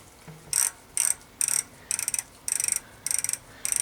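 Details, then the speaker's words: 2005 Orange P7 mountain bike after Shimano Deore 1x10 upgrade, freehub adjusted after sounding horrible; crisp rapid ratchet clicks about twice a second, no grinding or chatter. Normal freehub clicking. "that's what it should sound like"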